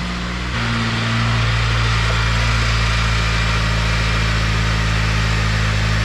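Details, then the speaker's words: Honda Civic FG2 with a junkyard engine just swapped in, first run at high idle with no check engine lights: smooth, steady low hum with faint light injector ticking and no knocks or misses. Normal idle. "Motor sounds nice and quiet. You can hear the injectors, but motor sounds quiet."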